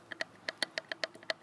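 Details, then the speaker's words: Karpaty moped that lost power, top end removed: sharp uneven metallic clacks about five a second as the crankshaft with play is rocked by hand; crankshaft knock, crankshaft to be replaced, one piston ring also cracked, possibly from overheating. "что-то с коленвалом ханае мы короче коленвалу надо будет менять это всё дело"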